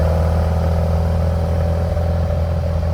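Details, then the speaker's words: 1957 VW Oval ragtop flat-four on Weber carbs, distributor already changed, while driving: uneven, lumpy low-speed running with irregular exhaust stumbles. Fine at speed, bad slow; coil or MSD suspected. "If I go fast, it's good, but if I'm going slow, it's not working at all."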